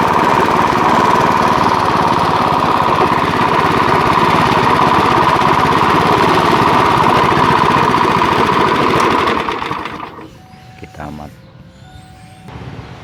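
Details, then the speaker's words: Chinese GX160-type petrol water pump engine (possibly Maestro CX160) that idles but dies under load pumping water: rough rapid clattering knock, then quieter low idle; something rubbing or a worn connecting rod suspected. "teman-teman ada suara kelotok-kelotoknya ya enggak tahu ini ada yang bersinggungan atau memang stang kistonnya agak guni ya"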